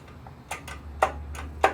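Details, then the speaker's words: Snapper SR-Series mower with a 10HP Briggs & Stratton, stored 10 years, in neutral on a battery of unknown condition: a few sharp, irregular clicks about half a second apart from the starter relay, not the starter motor; a loose terminal wire is suspected. Starter relay chattering. "That's the relay, the starter relay chattering. So it's not the starter motor."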